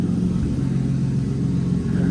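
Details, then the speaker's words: 1995 Toyota Supra IndyCar pace car, straight-piped, near-zero miles, driving after the fuel system was fixed: steady, even low rumble, super quiet off throttle, with no misses, knocks or stumbles. Healthy, smooth running. "It's definitely straight piped, but when you're off throttle, it's super quiet."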